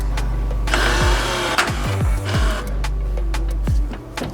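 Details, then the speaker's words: 3rd-gen Toyota 4Runner with the transfer case actuator just reinstalled and set in two-wheel drive, key on and button pressed; a short electric motor whir over the engine hum ends in a click as it shifts into four-wheel drive, but it then won't disengage. "all right guys we got it in four wheel drive it won't disengage"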